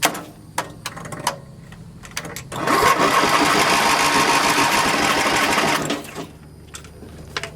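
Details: Small engine on a nearly dead battery cranks fast and evenly for about three seconds but won't fire; owner suspects the carburetor is flooding or the mixture is wrong.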